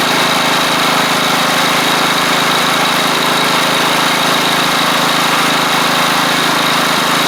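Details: Troy-Bilt Pony rider with replacement engine and new head gasket: steady, even idle with no misses, knocks or hunting after smoky startup; the engine runs smoothly and sounds healthy; normal idle.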